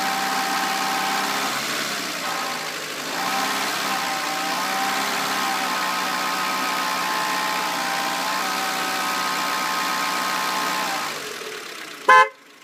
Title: Clio 1.2 16V Whiney Rattling noise